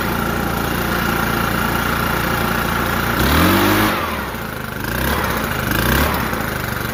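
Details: New Echo PB-5810T leaf blower, four-stroke-type engine, first run after checking valve adjustment: runs smoothly at low throttle, picks up briefly and settles back to an even, steady note. Normal running.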